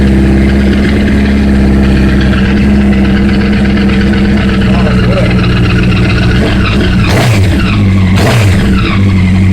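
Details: 2008 Honda CBR 1000RR engine running with a loud, fast metallic clacking over the hum. It started after a thud when shifting into third while accelerating on the interstate, with white smoke seen near the triple tree under hard acceleration. Cause unknown.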